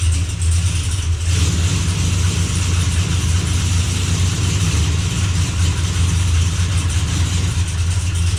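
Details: Blazer after transmission repair, running while shifter is moved through all gears to circulate fluid; steady even drone with no knocks, slips or whine, good oil pressure, no drips: normal running.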